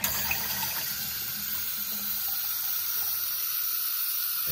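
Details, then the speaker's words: Niagara Stealth toilet (model N7714) fill valve hissing steadily while the tank fills very slowly, causing a weak flush; traced by trial and error to a worn fill valve seal needing replacement. "so i know what the problem is problem with my toilet is it's not flushing well and it's filling very slowly so after some trial and error i found out that i needed a new valve seal in my fill valve here"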